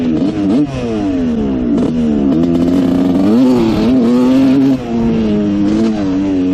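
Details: Honda CR125 two-stroke dirt bike (1986/1987) that had a horrible bog, after rejetting: crisp revs rise and fall cleanly, no stumble or hesitation; pilot jet was the problem, now running almost perfect, nearly out of gas.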